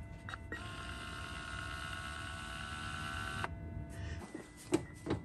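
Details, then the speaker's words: Lexus GX470 center differential lock actuator before repair: short beep, then a faint steady buzz for about three seconds as the rod moves and the diff locks. The dash light doesn't go solid, pointing to an actuator-to-4WD ECU communication fault. "I can clearly hear when he pushes the button it makes a beeping sound and then when the rod is actuating it makes a very slight buzzing sound"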